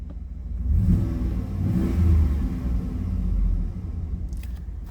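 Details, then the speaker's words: Cold 1996 Chevy Tahoe 4WD with a V8, revved after a cold start. Deep rumble swells and falls over three smooth blips with no knocks, ticks or misses; good oil pressure and charging, no problem. "all right let's give her some reps here reps revs here da da da da [Music] no problem at all"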